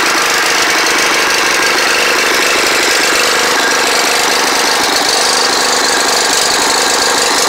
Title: Snapper riding mower running like crap first start in 4 years